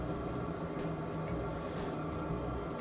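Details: Cheap Chinese diesel heater from Amazon on a bench test, running after the glow plug has gone off: a steady, even low roar with a soft fan hum and no surging or popping. It is burning cleanly, normal running.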